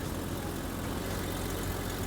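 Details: Vehicle idling after repairing a leaking transmission cooling line while it is shifted through reverse, neutral, drive and park: a steady, even low idle with no clunks or slips, and the transmission sounds healthy.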